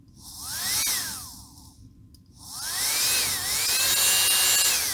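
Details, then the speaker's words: Motor of a dead Milwaukee M12 C12DD drill, removed and powered directly from a bench supply at about 10 V, 3 A: a clean whine spins up, falls away, climbs again and holds smoothly; motor is fine, fault lies elsewhere (MOSFETs). "so motor is okay. That's already a good thing."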